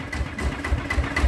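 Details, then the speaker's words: Bluebird small engine after repair (o-ring groove machined, balance weight fitted, original spring): steady low putter, about four even pulses a second, no knock or rattle; runs smoothly, accelerates well. "ก็ถือว่าโอเคใช้ได้นะครับสู้ดีนะครับ"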